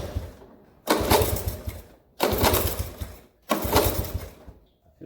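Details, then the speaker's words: 1983 Honda ATC 70, petcock not holding fuel, some gas in tank, ignition on and choked: three hard kick strokes about 1.5 s apart, each churning without catching; won't fire, no start. "Not sure. Nothing. So, no go for the 83."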